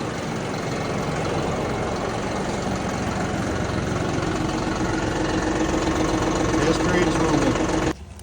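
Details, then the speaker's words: John Deere 5075E diesel tractor after a no-start from a weak 2019 battery, now with new battery: fires right up and settles into an even idle clatter, three to four beats a second, no misses; healthy. "got the new battery installed we're going to go ahead and do a cranking test while we're here as well just to confirm that everything is good so it is ready for us to start fires up like it"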